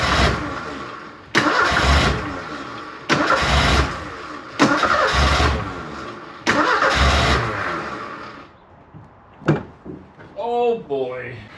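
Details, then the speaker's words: 1984 Kolb Ford Thunderbird Turbo Coupe parked 35 years, starting fluid sprayed into the throttle body: several short bursts of firing, each catching a second or so then dying; fires only on starting fluid but won't sustain. "I do believe we're going to have a running engine here cuz it it it fired. It only fired off uh starting fluid, but it fired."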